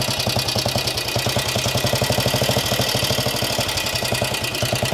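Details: Norton 16H 500 side-valve classic British single-cylinder motorcycle started with decompressor and clutch, no choke: slow, even thumping about 150 beats a minute with a steady exhaust bark; running well, though it has a known tick-over problem.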